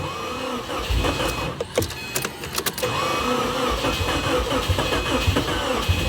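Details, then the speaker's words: 2008 Subaru WRX bought dead, first start attempt: uneven, labouring cranking with irregular bursts that never catch. The owner suspects low compression but says fuel or spark could be the cause; slow cranking. "That sounds kind of like low compression, maybe. Yeah, it sounds like low compression."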